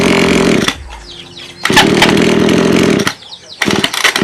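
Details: Lawn mower two-stroke engine that is hard to start and runs rough; it bursts into life, drops almost to nothing, then catches again, running unevenly and cutting out.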